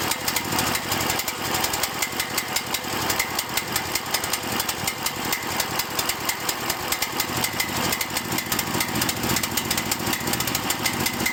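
Uneven, lumpy chugging at idle with a loose rattly beat that doesn't hold steady, a rough-running diesel that sounds ready to stall.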